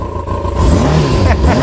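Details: Kawasaki ZX-6R four-cylinder, first run in 10 years after carb clean, started without choke after suspected earlier flooding; just started, so revved gently. Pitch rises and falls cleanly with throttle, smooth and even, no knocks or misses; runs normally.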